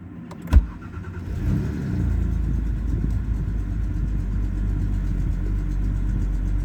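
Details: BMW E91 N52B25 after a start: a low, uneven idle rumble with wavering rpm, rough idle and misfire, ticking hard to pick out; fault codes 29F4 (P0420), 29F5 (P0430), 2DED (P160F) and A46D recur about every 300 km, unresolved.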